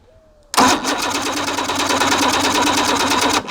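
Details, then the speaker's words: Evinrude 150 XP outboard, abandoned, cranked with a remote start switch while a timing light checks for spark: about three seconds of quick, even chugging with no firing. No spark; trigger/timer base suspected. "nothing nothing nothing guys it does not have spark so we're going to have to dig a little deeper"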